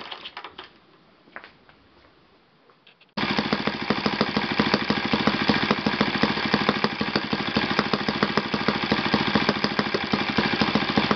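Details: Yamada (Futaba) YS F 120 four-stroke glow engine on a test stand after a full rebuild (combustion chamber buildup, piston and ring problems), Yamada No. 4 plug: bursts from a quiet start into a steady crisp rapid beat, even clean run; normal running.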